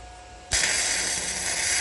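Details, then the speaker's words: Arccaptain MIG 145P flux-core welder on 220 V (voltage adjustable 11–26 V, wire speed in m/min), beginner welding with the torch close to the work: a steady, even frying crackle without pops or sputter; smooth, well-set arc. "Oh, that sounds so nice."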